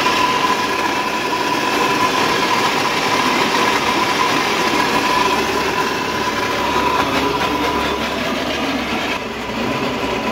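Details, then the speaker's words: E-rickshaw with one rear wheel lifted, run at full throttle; loud rough grinding rattle with steady whine, unclear whether from the wheel, the motor or the crown (differential) and to be isolated by further checks. "तो आपने देखा कितनी तेज इस पहिए से आवाज आ रही है जैसे लग रहा है इस पहिए से आवाज आ रही है या ऐसा भी लग रहा है कि मोटर से आवाज आ रही है और ऐसा भी लग रहा है कि क्राउन से आवाज आ रही है"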